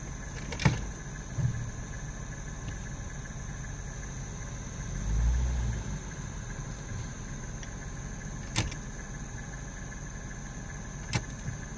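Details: Dodge P300 after a tune-up, idling with an uneven lope and a few irregular thumps spaced seconds apart; a random misfire, cause still unknown.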